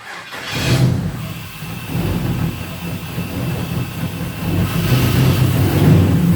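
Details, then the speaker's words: 5.3 LS V8 in a 1967 Chevrolet Caprice, first start on a new Holley Terminator X: catches and settles into a slightly uneven, lumpy idle with a faint hiss; suspected vacuum leak around the throttle body. "Not bad. Not terrible. Not terrible. It sounds like it's got a vacuum leak up here in the throttle body area. So we need to work on that."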